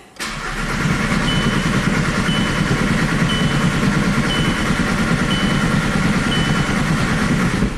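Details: VW Jetta TDI after an engine swap, cam sensor plugged back in, P0341 cam performance code: steady starter churn with an even compression beat, never catches or fires; crank no start.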